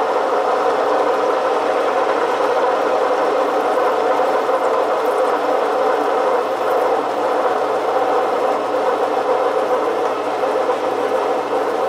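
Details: Metal lathe parting cut at the same rpm with a shallower chuck and less overhang: a steady, even hiss with no chatter or resonance ringing. The cut sounds clean and stable.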